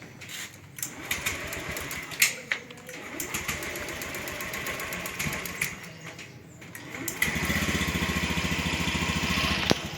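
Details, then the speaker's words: Fuel-injected motorcycle started with electric starter while read by JDIAG M100 scan tool; quiet starter whirr and clicks, then engine catches and settles to even idle, rpm rising from 0 to about 1280; normal start. "Oke, motor sudah nyala ini ya. Jadi ini sudah ada perubahan. Yang tadi putaran mesin itu adalah 0 rpm, sekarang sudah berubah dalam kondisi langsam seperti ini."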